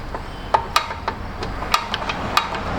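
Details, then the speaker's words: Buick Enclave rear parking brake adjuster star wheel turned after fitting new parking brake shoes: crisp separate clicks, about six in three seconds, with the ratchet engaging cleanly. "now watch this now that it's in there the clickage from it is going to be amazing ready hear that"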